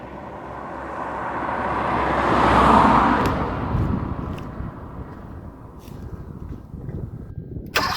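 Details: Car cranks but won't start: starter spins the engine at a steady churn that swells then fades without catching; no injector feed due to a blown injector fuse.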